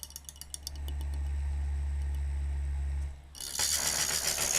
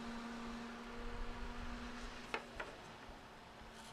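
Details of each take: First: F1202512 SM 12 V 0.2 A cooling fan with the microphone touched to it. It makes a deep, steady buzzing hum, running but vibrating badly on a worn, loose bushing; the fix is disassembling it and oiling the bushings. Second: Small 12 V DC 0.2 A computer fan (model F1202512 SM) after disassembly and oiling its bushing to cure noise and shaking: spins freely and now hums quietly and evenly with a steady low tone, no rattle or grinding.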